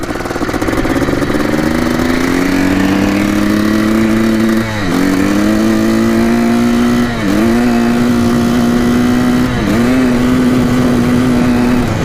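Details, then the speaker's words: 1987 Yamaha YZ490 two-stroke after carb cleaning and fresh fuel, warmed about 6 minutes, riding test: note climbs slowly and sags each time the throttle opens, never crisply clearing out, lazy pull under load; bogging under throttle. "so it's pretty boggy for sure the track we were out in the road"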